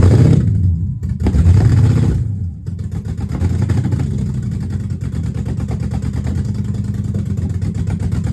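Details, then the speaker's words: Dodge Magnum with a rebuilt/swapped Hemi V8, cold start, exhaust not yet connected, only O2 sensor codes left: fires up and revs with a lumpy, uneven burble; runs rough, owner suspects the disconnected exhaust, unconfirmed. "Better, but it still sounds kind of rough. So it might be because of the exhaust is not connected."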